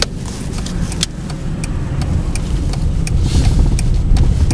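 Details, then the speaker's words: VW Passat B5 driven down a ramp after the front-end clunk was fixed by shimming the suspension stops with about 1.5 mm: only an even rumble of tyres and road, no knocks from the front, suspension quiet. "сейчас будут съезжать дороге можно будет послушать звук а вообще никаких нету"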